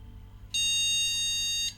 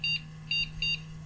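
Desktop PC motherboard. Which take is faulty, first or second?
first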